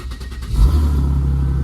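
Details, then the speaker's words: 1997 Mercedes W202 with M104 3.6 AMG six-cylinder, started after camshaft solenoid actuator replacement; starter catches, revs flare then settle into a smooth deep steady idle with no misses or ticks; check engine light still on before clearing codes. "Car still works, that's good."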